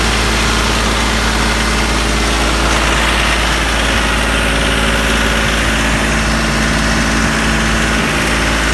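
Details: Branson 3520h tractor diesel after valve cover removal and valve adjustment for tapping: steady idle with even low rumble, no slapping or tapping from the valvetrain; repair fixed it; normal idle.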